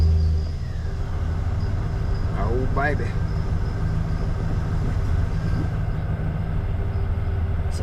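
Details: 2500 HD, hot engine around 200+ degrees, after fitting a billet oil pump bypass valve; steady low, even idle rumble with no knocks or ticks; oil pressure up about 10–12 psi.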